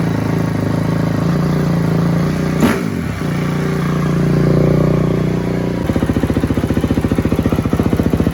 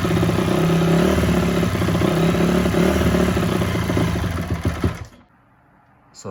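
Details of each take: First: 2004 Honda CRF250 single-cylinder after rebuild, plugged carb pilot jet cleared with tip cleaner and ultrasonic cleaner: fires, revs briefly, then settles into an even steady thumping idle; carburetion clean. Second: 2004 Honda CRF250 first start after a rebuild from blown-up. The single-cylinder thump rises and sags without settling, then dies. Runs perfectly mid to top but won't idle. Surging idle, owner suspects a pilot circuit issue.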